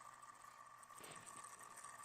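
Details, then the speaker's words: Noisy synchronous motor in a roughly 50-year-old cheap Timex AC-powered wall clock with a sealed epoxy gear-reduction motor; faint steady high buzz with thin rattle; clock began running slow; motor has gotten noisy, likely unsalvageable. "that little motor in there it's just gotten noisy and so there's probably nothing I can do to save it"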